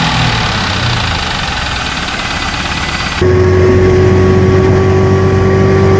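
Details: 2001 Pontiac Trans Am LS1 V8, knocking after 300 miles of driving, before treating oil with Marvel Mystery Oil/Seafoam mixture: steady idle hum with a regular knock about three to four a second.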